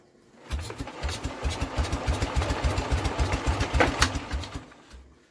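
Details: Norman engine after carb clean, good spark, fuel line reconnected and petrol primed: steady starter chugging about three or four a second, never fires; cranks but won't start, cause not confirmed.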